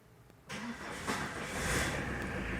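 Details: Tata Winger diesel van at 157,408 km, previously damaged by broken timing belt (bent cylinder 1 valve): short crank, catches at once and settles into an even, steady run with no stumbling; starts healthy.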